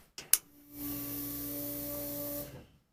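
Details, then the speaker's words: LS-swapped 1965 Chevrolet C-10, key on with start switches: a click, then a steady electric hum about two seconds that winds down. Fuel pump priming normally. "Let's see. Alright, that's our fuel pump."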